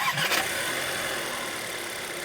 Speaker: 再听一下发动机正常启动的声音。这下你知道怎么判断了吧？